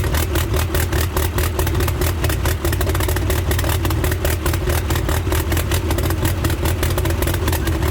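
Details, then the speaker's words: Freshly rebuilt Toyota 8RC engine, first run in the car, in neutral: steady deep very loud exhaust rumble, no knocks or misses; possibly running a bit rich. "She might be running a bit rich."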